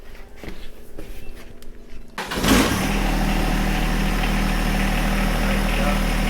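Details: John Deere 1025R diesel tractor after replacing the main fuel filter under the floorboard, which caused its surging and stalling: fuel pump clicking, then it cranks, catches and settles into a steady even idle with no surging.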